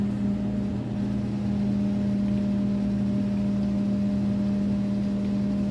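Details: Drummond 1/3 hp Harbor Freight sump pump replacing a 1/2 hp Wayne, lifting about 7 ft: quiet steady hum with faint tone, no rattle or grinding; runs smooth and healthy.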